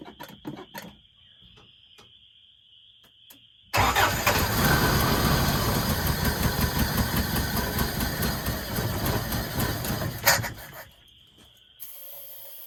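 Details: 1981 Toyota 4x4 pickup sitting since 2008, fed starter fluid and gas poured in: short dry crank, catches and runs rough about six seconds then dies; seems fuel-starved, fuel pump suspected, not confirmed.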